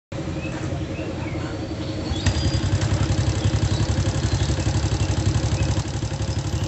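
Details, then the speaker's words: Honda Supra motorcycle at idle: loud, fairly regular kletek clatter about four per second plus small ticks; roughly 30% from the cam chain, mostly from elsewhere; lower valve found loose, oil still fairly clean. "Ada bunyi kletek-kletek secara teratur dan sedikit bunyi kecil-kecil ya, tapi yang besar banget itu bunyi kletek-kleteknya."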